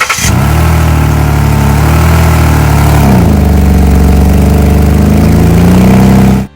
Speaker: An exhaust leak occurs when the engine's exhaust gases are escaping from somewhere other than the end of the exhaust tailpipe. They tend to have a fairly distinct sound, which is often something like this.